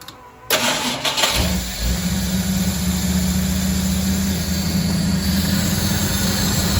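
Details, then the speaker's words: 1974 Ford F100 with Holley Sniper EFI, after freeing a crimped fuel return hose that caused back pressure and stalling: engine cranks, catches and settles into steady even idle with no misses; checking for good idle and leaks. "What I'm looking for is good idle. And I'm making sure I don't have any leaks here."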